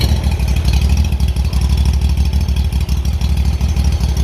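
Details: Kawasaki engine on a Hustler mower hunting, low uneven beat rising and sagging, never settling at idle; glue blocking a small carburetor hole to be picked out and Welch plug to be replaced, plug BPR4ES and fuel filter to be renewed.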